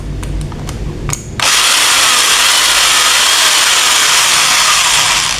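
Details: Modern M2130B electric drill, dead before, repaired by fixing faulty switch or its cable, tested on mains in both directions: handling clicks, then motor spins up to a steady high even whine; healthy.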